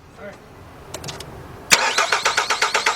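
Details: 2006 Nissan Altima that sputtered and stalled on the highway: steady starter cranking at about four pulses a second, never fires; crank-no-start, spark confirmed present, fuel pump checked next.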